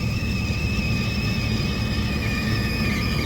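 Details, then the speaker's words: Rooftop belt-driven exhaust fan, cover off: steady high-pitched squeal and chirping over the low fan rumble, worse as the pulleys warm; belt tension fine, worn pulley grooves with odd wear, new pulleys likely needed. "this pulley right here is making a loud noise this one is too it's making a chirping noise"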